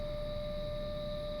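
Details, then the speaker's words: 2005 Volvo S80 at smooth idle, heard under the hood: steady high whining tone; pitch changes little and even lowers slightly when revved, not following RPM. "be able to still hear the whining now when I rev it you're gonna hear the pitch change a little bit but it stays pretty much the same it doesn't like coincide with rpm"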